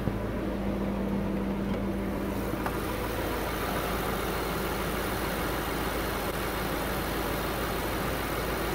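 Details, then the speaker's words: BMW N63 V8, new engine, idling at about 700 rpm (programmed 50 rpm below regular idle): steady, even idle with a smooth low hum and no knocks, ticks or misses; normal, healthy running. "This is roughly 700 RPM. That's the sound of the N63 engine. Perfectly running N63 engine. That's the regular sound, 700 RPM."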